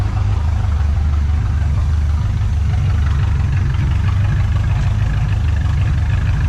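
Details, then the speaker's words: 1986 Trans Am 305 4bbl E4ME Quadrajet after new intake and carb base gaskets fixing vacuum leaks, possible throttle position sensor code still present: deep even V8 idle, no missing beats; normal idle. "Don't sound like it's missing."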